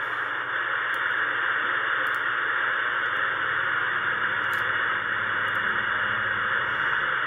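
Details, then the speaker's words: Ten-Tec Pegasus HF transceiver tuned to 10 MHz: steady band-limited static hiss with faint ticks, no dropouts; receiver works well despite a transmit fault giving only very low power. "it does receive though so it receives very well here's the receive aspect of it if i put in 10 megahertz it'll pick that up"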